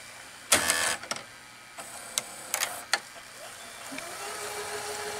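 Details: RCA VR335 VCR after cleaning the mode switch: a few mechanism clicks, then a smooth, steady whirr of tape rewinding, with no scraping or squeal and the earlier noise on rewind gone; rewind working normally.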